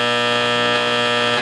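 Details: Cheaply bought used Cordovox solid-state accordion power amp being tested input by input: a loud, harsh, raspy steady buzz that cuts off abruptly. The other power amp hums much less. Cause unconfirmed.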